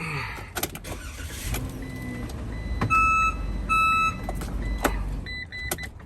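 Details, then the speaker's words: Commercial van with newly installed backup alarm, engine idling in reverse: two sharp high beeps about a second apart over idle clatter; alarm sounds only in reverse, working as intended. "Yeah, that only works when you put the car in reverse. Other than that, it's not gonna make that sound, only in reverse."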